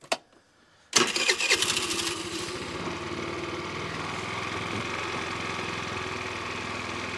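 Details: 50cc Ice Bear trike scooter after the leaking vacuum line near the carburetor was blocked off with a bolt: brief crank, then it catches and settles into a steady, even idle. Vacuum leak fix confirmed.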